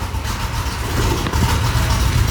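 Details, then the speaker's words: 3rd-gen Camaro V8 at idle, with a new welded exhaust made from parts-store piping and Dynamax Performance mufflers, no cats; steady, even burble, deep rumble, no knocks or ticks: normal idle. "That sounds damn good. Really good. I mean, for what was essentially cobbled together out of parts store piping."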